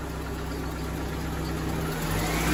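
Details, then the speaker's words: 1997 Eagle Talon TSi after replacing its spark plugs, which had been in since 2017: steady, even idle with no stumble or misfire, and the revs climb cleanly; the previous rough idle is gone. "all right guys so it feels good so far the rough idol is no more"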